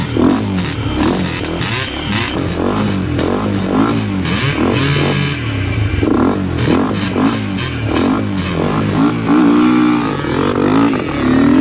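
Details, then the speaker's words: Yamaha Blaster two-stroke ATV after its carburetor was cleaned out to stop bad running and bogging: the engine blips up and down repeatedly and picks up without bogging, with faint music behind it. It seems to be running a little better, normal revving. "well we got the carburetor all cleaned out seems to be running a little better"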